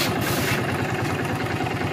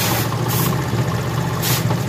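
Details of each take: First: Honda CD70 new-model carburetor after mixture and idle adjustment: small single-cylinder ticking over steadily with an even, slightly loaded beat, no misses or hunting. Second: Honda CD70 motorcycle carburetor mixture adjustment: single-cylinder idle thumps low and slightly uneven, sagging as mixture screw is tightened leaning it out; opening it raises idle again.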